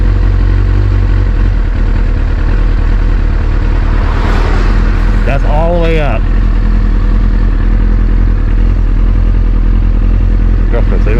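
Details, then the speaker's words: 2001 Kawasaki ZX6R carbureted, warmed up with choke pushed fully off: steady even mellow burble just above 1,000 rpm, no hunting or stumbling; normal warm idle. "My bike sounds a little better. I don't know if you guys can hear the difference, but it sounds not all brum, brum, brum, brum, brum, brum, brum. It's more mellow, I think. My RPMs are just a little above 1,000."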